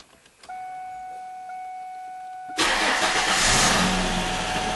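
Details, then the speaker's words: Ford/Lincoln/Mercury that cranked but wouldn't start: battery was dead and charged, spark and injector pulse OK, no fuel pressure. After the repair, a steady fuel-pump buzz for two seconds, then a prompt normal start and an even run. "If everything goes well, we should hear the fuel pump like buzzing."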